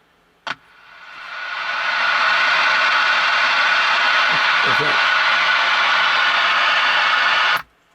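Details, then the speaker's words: RCA Model 2 XF 91 AM/FM tube radio under repair, low filter cap voltage: hiss swells over about two seconds after switch-on on a seemingly dead band, then holds a flat rush with no station; fault unconfirmed. "Now, you notice how the hiss gets louder and louder and louder as when you turn it on."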